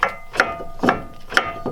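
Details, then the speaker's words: Wheel rocked by hand gives hollow metallic clunks about twice a second. The brake rotor's bolt holes are too big, so it shifts on the hub, a fault a mechanic missed. "there's that there's that noise so watch router's too big the holes"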